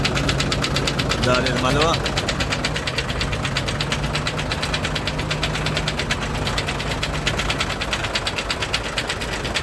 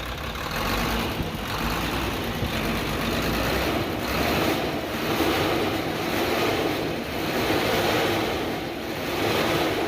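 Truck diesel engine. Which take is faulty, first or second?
first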